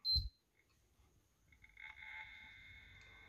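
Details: Sony PS4 after repairing the broken fan connector, first test power-on: short high beep at switch-on, then a faint even hum, fan at stock speed quiet, hard drive sometimes louder than the fan; normal power-on.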